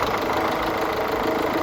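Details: Peugeot 1.6 HDi diesel idling after fuel pipe repair and EGR pipe cleaning, no warning lights: steady, even diesel clatter with no misses, hunting or extra knocks; the engine sounds healthy.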